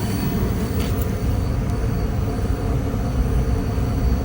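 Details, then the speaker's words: Goodman furnace after relocation, first fire-up with thermostat just turned up, display apparently reading about 35% and ramping up: steady, even low roar with no knocks or squeals as burner and blower come up; normal furnace operation. "Okay guys, she's up and running. I think it said it's running like 35% right now. I just turned the thermostat up. It sounds like it's ramping up a little bit right now."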